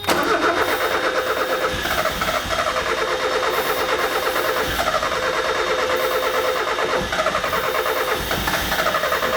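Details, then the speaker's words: 1994 Mazda Miata cranking with starting fluid sprayed into intake: starter spins steadily and engine catches in short ragged bursts only on starting fluid, showing ignition present; no fuel delivery. "So we saw it did try to run. It wants to go. If you give it fuel, obviously there is ignition."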